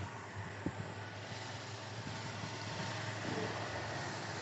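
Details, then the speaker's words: Toyota Kijang 7K carburetor after cleaning, with the idle air screw adjusted: steady, even low hum with no stumbles or hunting. The idle air-fuel mixture seems right; idle is normal. "setelan angin untuk sistem stasioner Kelihatannya sudah tepat"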